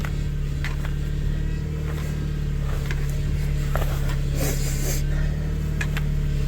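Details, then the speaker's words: 2001 Subaru Outback at idle after serpentine belt, idler pulley and tensioner replacement, bubbles in fluid: steady constant-pitch droning whine, improving; power steering pump whine from air in fluid. "Look at the bubbles in there. So, we start it up. Turn the wheel some. See if it stops making noise. I think we can call this fix done. Oh. That is an unhappy power steering pump. Power steering's getting better, though, which is nice."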